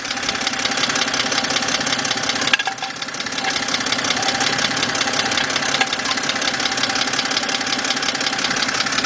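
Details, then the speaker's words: 2007 BMW 328xi at idle: a light, regular tapping about three a second under a steady idle. It is traced to the internal bottom half, so the engine must come out. Lower-end knock, exact cause unknown. "Oh yeah, I definitely hear it. Inside here. This is definitely coming from the lower end."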